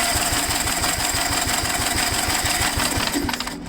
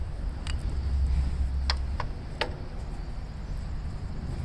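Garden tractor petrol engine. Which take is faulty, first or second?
first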